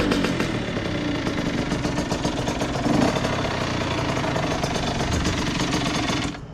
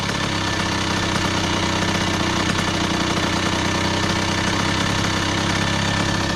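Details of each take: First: 2001 Honda CR80 two-stroke with stock exhaust, checked for a knocking noise: a rough, uneven burble that sags and nearly dies at the end. The idle is set too low, and the idle screw is then turned up by hand. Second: 2001 Honda CR80 two-stroke, previously knocking, just after adjusting the idle screw: fast, crisp idle holding steady and even with no knock heard; healthy soft idle.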